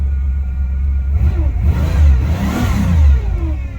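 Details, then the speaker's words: Cadillac DeVille started for the first time in 7 months, coolant temp 77, idling with no power steering fluid: engine blips with a thin whine rising and falling with revs; power steering pump whining from low fluid. "and hear that wine [Music] okay yeah i need to put some power steering fluid in it"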